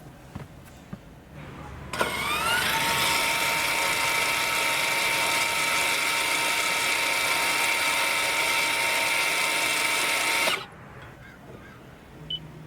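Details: 2019+ Toyota RAV4 entering rear brake service mode, ignition on, brake pedal not pressed: smooth steady high whine about eight seconds as rear caliper motors unwind fully, then a clean stop; normal retraction.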